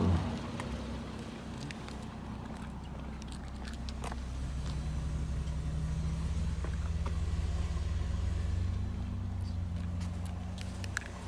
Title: 2011 Infiniti G37X Sedan Rattling Noise? Help?